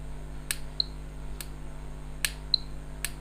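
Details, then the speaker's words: Induction cooktop on test with the bridge rectifier showing 312 V DC: sharp crackling snaps about every 0.75 s over a quiet hum, from sparking at a loose or open connection, which was then cleaned and resoldered. "तो देखिए जब मैं check कर रहा हूँ तो यहाँ से कुछ ना कुछ फटफट फटफट फट करके एक आवाज़ आ रही है। कहीं ना कहीं इस जगह ख़राबी है, क्योंकि ब्रिज रेक्टिफायर 312 वोल्ट शो कर रहा है।"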